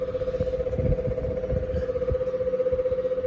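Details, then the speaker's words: Westinghouse 6-blade fan, cleaned and bearings greased; steady hum with rough magnetic-sounding rub about four times a second, worn bearing letting the rotor rub; front or back bearing needs replacing. "it's so worn is rubbing really badly which sucks but here it is on it's really bad"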